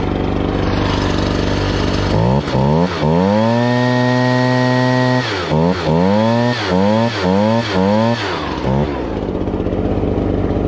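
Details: Two-stroke blower with a 42cc engine rated 510 CFM, started choked on fuel left from use about two months earlier; idles evenly, then rises cleanly to full throttle and snaps back through repeated blips with no misfire; normal running.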